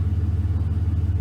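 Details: 2006 Chevy Silverado 1500 4.8 V8 after oil pressure sending unit replacement, now reading 40 psi: deep, even V8 burble at idle with a steady pulse and no ticks or knocks; engine idling smoothly.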